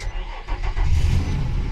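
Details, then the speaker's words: Car with a 6.6 V low battery jump-started using a portable lithium jump starter: a brief crank, then the engine catches at once and settles into a steady low rumble; normal crank and start. "There you go. It started up. No problem. It actually worked."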